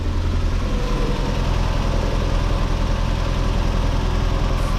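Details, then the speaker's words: Mazda MX5 NA Eunos Roadster after the valve cover gasket replacement: a deep, steady idle with an even beat and no misses or tapping. It is punchier starting and healthier idling, and seems to have more power. "just very puncher starting up very a lot healthier idling revving it kind of like sounds like he's got more power in there"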